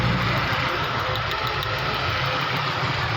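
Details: 2013 Mercedes-Benz petrol engine idling with an uneven, stumbling low thump, code P0303 cylinder 3 misfire that also sets the check light at 80–100 km/h; coil tested OK, faulty spark plug found.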